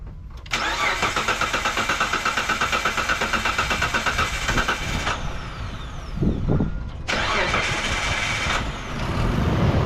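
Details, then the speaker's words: 2004 Mitsubishi Montero, first start right after throttle body cleaning: several seconds of labored cranking, engine catches unevenly and stumbles while burning off excess cleaner; rough start expected to clear on restart. "let's go ahead and start the engine and you'll see that it's going to struggle a little bit but I'm going to turn it off"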